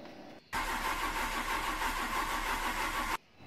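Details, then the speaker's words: Maruti 800 with a starting problem: starter spins the engine at a quick, even rate for about two and a half seconds, then stops without catching; cranks fine but won't start. "Car self पूरा ले रही है but start नहीं हो रही है। तो क्या फौल्ट हो सकता है?"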